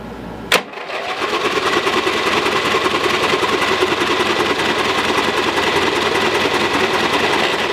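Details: Lowe's 1442 mower, 14 hp, bought with a locked engine; freed with good compression but fuel pouring from the exhaust: sharp snap, then buzzy, uneven run with a ragged beat; it turns over but sounds rough.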